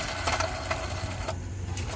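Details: 1997 Chevy C2500 5.0: gritty, uneven rattle with irregular ticks as the loose, screeching idler pulley spins free, its bearing shot with shavings falling out, which made the serpentine belt pop off; pulley replaced.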